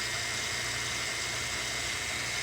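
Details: Mercedes S600 with a no-start and no-communication fault, after replacing a bad computer module and its fuse: steady, even idle with no misses or knocks, just a constant hiss and hum over the engine; it runs healthy.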